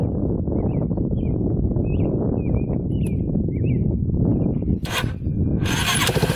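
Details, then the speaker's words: Yamaha Warrior 350 quad on a test drive after carburetor cleaning and other fixes: single cylinder thumps steadily with even firing and clean revs, no popping or misses, super smooth with good power and hardly smoking; running properly. "Alright, it's running perfectly. Super smooth. Good power. Hardly smoking now."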